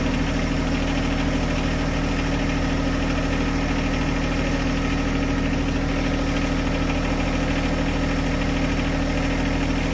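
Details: John Deere 1025R compact tractor diesel, started cold to cycle fluid through the filter: steady, even idle with smooth low chug, no misfires or odd knocks; normal idle.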